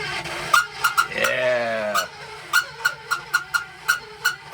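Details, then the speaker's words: Old Weil-McLain gas boiler: sharp bird-like chirps about three a second from the failing second-floor circulator pump; the fix is to replace the circulator. "so it's the it's a circulator for your second floor that's uh making all that noise upstairs"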